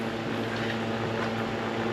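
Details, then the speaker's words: Antique Zephyr air cooler 'Gooseneck' fan, so quiet it seemed off. A soft, even hum with a faint steady tone and no whine or rattle; normal quiet fan running. "Is it running? I'll be dang. That is quiet. I thought it was off."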